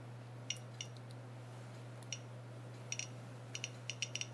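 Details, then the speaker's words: Geiger counter (smallest model, 9-volt, high voltage) held to a camera lens: sharp irregular ticks, about a dozen in under five seconds, over a steady low hum; the lens is radioactive. "don't know if you can hear it crackling away I know it wants to bite me it's got high voltage on there"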